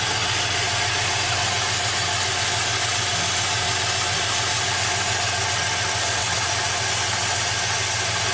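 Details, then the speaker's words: 2004 Pontiac GTO with a 5.7 LS1 V8, 6-speed manual and 34,000 miles: uneven, loping idle with a steady stumble because cylinder 1 is not contributing, found by the unplug test; the misfire is traced to a faulty spark plug. "Okay, so cylinder 1 has no contribution."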